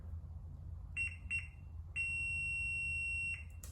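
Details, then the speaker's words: 2003 Yamaha TT-R 225 with a no-spark condition after being shut off: continuity tester gives short beeps, then a steady tone held about 1.5 s with the key on, confirming the ignition switch is good. "continuity we're getting continuity through the ignition switch so we know that our actual key ignition switch is functioning and good so we can go ahead and cross that off the list"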